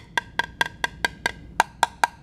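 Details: Aircraft composite part tap test: eleven crisp, ringing taps about four per second, each a clear high-pitched tone, indicating well-bonded solid laminate with no delamination.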